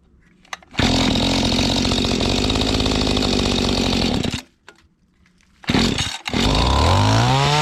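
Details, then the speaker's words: Mantis tiller small two-stroke, estate-sale unit, choke just taken off at full throttle: ragged buzz that surges and sags, cuts out, then revs back up unevenly; suspected dirty or unadjusted carburetor, to be cleaned and adjusted. "Dirty or unadjusted carburetor, seems like to me."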